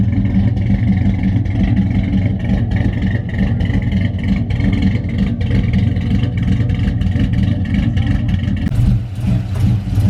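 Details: Big-cam GM 5.3 V8 in a truck, first start after swap: deep uneven lumpy idle with shaky beat; the four DOD cylinders are not firing because the DOD valley connector was unplugged.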